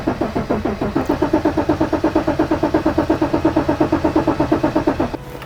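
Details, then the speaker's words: 1984 BMW E28 5 Series with a 3.5L M30 straight six and manual swap, sitting over 5 years, cranked on a jump pack: steady starter whir with even compression pulses, never catching. The tank is completely empty of fuel. "Needs start, you bastard, and it's absolutely empty on fuel, which is something we should have thought of."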